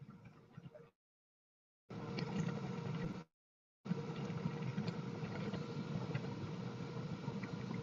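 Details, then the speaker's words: Master Airbrush paint booth's original fan running: steady, loud low-pitched whoosh with a gurgly rumble, no rattle or squeal, moving plenty of air; healthy but loud. "And it does move quite a bit of air."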